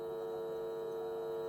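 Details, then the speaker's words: Vintage National Panasonic RX-1490 playing a cassette. A loud, steady buzzy hum runs through the circuit and changes with the volume, with the music barely audible underneath; later traced to a dirty record/play switch. "play all right we've got that bad hum still which is through the circuit because the volume adjusts it"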